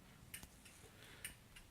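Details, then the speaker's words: After fixing LED turn signal hyperflashing by installing a heavy-duty 2-wire flasher unit: crisp relay clicks at a steady, roughly 1.5 per second pace in a quiet cabin. Normal turn signal flashing. "can you hear that clicking but that's the turn signal relay and it's working really nice I like that"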